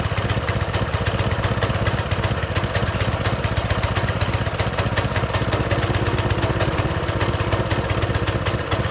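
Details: Pressure washer small engine running after replacing the carburetor and draining very old fuel, choke on at start: fast, even single-cylinder chatter at steady speed, no hunting or misses; runs cleanly.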